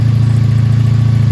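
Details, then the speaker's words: 1984 Honda V65 Sabre VF1100S, 1100 cc V4, first start of the season from cold: steady, even low burble with a regular pulse and no knocks or rattles, a clean healthy idle. "oh she sounds really good though welcome back old V65 Saber"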